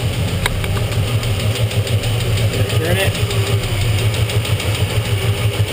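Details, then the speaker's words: 1967 Chevy Beaumont with a freshly rebuilt small-block 283 V8 at idle, valve covers off, during lifter adjustment: a light regular tick about three a second from one loose hydraulic lifter as the new engine loosens up. "all right so it's it's this one here that's ticking I can hear you can hear it ticking quite quite loudly"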